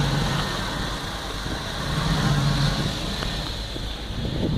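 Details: Chevrolet 5.3 V8 warm idle: low, lumpy beat that swells and sags, a surge plus misfire. The surging happens only when warmed up, and the misfire developed after the vehicle sat a couple of weeks.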